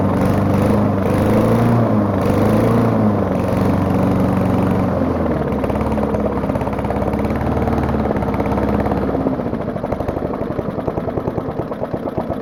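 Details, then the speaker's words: Old lawn mower, started with ether, heavy smoke from the crankcase vent. Small single runs ragged and loping at about 3.5 beats per second; combustion pressure blowing by worn rings into the crankcase and burning oil. "So it's just pressure leaking from the combustion chamber into the crankcase, burning oil because of bad rings and whatnot."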